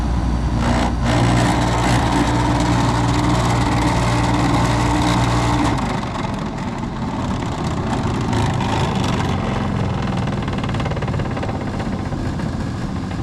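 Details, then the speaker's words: Carrier GasPack rooftop unit that wasn't heating, after replacing a motor: steady even low hum with airflow rush and no rattles, squeals or knocks. Normal running. "That sounded lovely."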